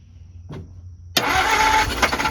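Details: 1949 Ford shoebox with wet spark plugs, cranked while checking for spark: silence, then cranking bursts into a short, ragged roar as it briefly fires, so spark is getting through. New plugs, fluids and an oil change are planned.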